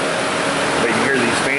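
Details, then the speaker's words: 2006 Mazda 6 V6, cooling fans triggered by AC request, PCM duty-cycle signal monitored: steady, even rush of fans still running at full speed after the PCM signal drops to zero; fan control module faulty. "but now that Signal's gone signal from the PCM is gone and the fans are still running a full door so I think that kind of confirms it"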